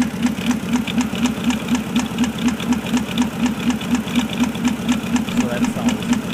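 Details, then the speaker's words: 2004 Porsche Cayenne 4.5L non-turbo, 300,000 km, new plugs and coils, slight misfire, P0018 bank 2 cam correlation code: a sharp, regular knock about twice per second over a steady idle. Cause unknown, possibly cam timing. "uh the old mechanic special new spark plugs new coils uh seems to have a slight misfire making some engine noises picked up dirt cheap"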